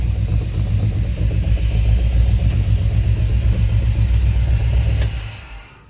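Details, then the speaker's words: 1950 Cadillac hearse-turned-motorhome V8, cold start at room temperature, distributor moved so ignition timing unknown: deep rumble at raised revs then dropping; seems to miss on one side at idle but hits on all cylinders revved, timing needs resetting. "it sounds like it's missing out of this side like I said the distributor got moved so I don't know where the timings at right now well it's definitely hitting on all the holes when I rev it up so"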